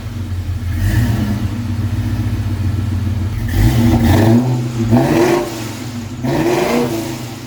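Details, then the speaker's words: 1999-04 Mustang GT 4.6 V8 first start after Flashark long tube header install, wheels off, checking for noises: deep idle rises into three clean even revs and settles; no ticks, knocks or rattles. "So before we put the wheels back on, we are going to fire it up, give it a listen, and we're leaving the wheels off just that way we can see if there's anything that's, you know, out of place or making noise."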